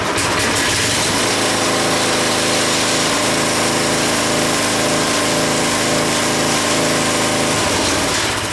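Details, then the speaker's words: Craftsman tiller after replacing a bad diaphragm/fuel pump, carburetor screws about a turn to a turn and a half out, run at fast throttle: even, fast firing at steady revs, then winding down; runs smoothly and healthily. "It's running. Seems to be running pretty good."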